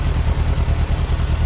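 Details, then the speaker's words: 1998 Yamaha YZF600R Thundercat after transmission repair, rear wheel off the ground: even, steady idle with no knocks, misses or leaks, and all gears working. Carburetion still needs adjusting. "got all the gears that's good i'm gonna have to mess around the carburation a little bit to get it set up right but she sounds good"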